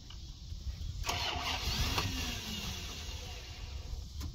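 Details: 1990 Dodge Ramcharger 2WD, sat in a junkyard since about 2014, new battery, after a small engine fire: starter churns steadily for several seconds but engine never fires; owner suspects no fuel from the fuel pump and bad old gas.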